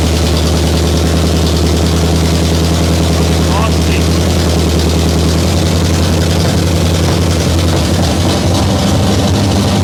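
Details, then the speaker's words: Abandoned 1968 Camaro small-block Chevy V8 at first start on used junk parts, timing seems good, possibly fuel-starved: loud open rumbling idle with a light rattly clatter; owner thinks the exhaust was clattering, source unconfirmed. "Okay, well it runs-ish. I think it has like an exhaust was clattering or something, but who knows what's gonna sound on camera."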